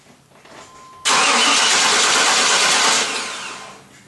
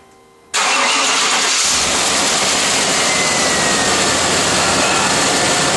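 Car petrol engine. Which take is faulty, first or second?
first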